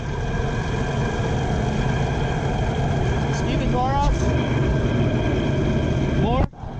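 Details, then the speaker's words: 2008 Honda Accord on a jack stand, heard from underneath at the left front as the wheel spins faster: a steady low drone and growl. Worn left front wheel bearing, confirmed bad once the hub assembly was removed. "speed up a little speed up and the noise is definitely coming from this side here"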